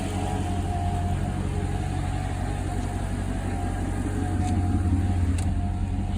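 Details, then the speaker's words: Mercedes C55 AMG V8 after intake manifold install, manifold nuts retightened about half a turn after settling loose: steady low idle, even pulse, no hiss or whistle; earlier noise gone, normal idle. "all right guys we just tightened down the manifold a little bit more definitely got rid of the sound that I was hearing"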